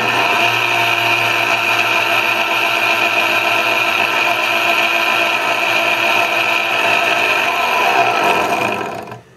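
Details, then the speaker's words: Vitamix Commercial VM0115E with a container blade assembly fitted, run at speed 30: the blender gives a loud, rough, gritty grinding whir, then spins down. The assembly had felt taut by hand, but the blade assembly bearings are worn and bad. "you can really hear grinding sounds but we're on the blender on the other hand"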